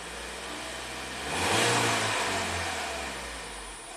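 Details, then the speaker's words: Ford EcoBoost van with intermittent P0106 MAP performance code, stumbled on startup; rpm raised slowly, fuel trims at zero; engine revs smoothly and settles evenly, no misses or knocks, sounding healthy. "now it's now it's it's fine it's happy man that really blows my mind what could be wrong with this Ford product"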